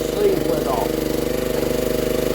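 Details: 1960s Honda ED250 DC-only generator, restarted to check DC output, about 14.6 V measured: a quick, even single-cylinder putter at steady speed with no misses or knocks, talk briefly over the top; normal running.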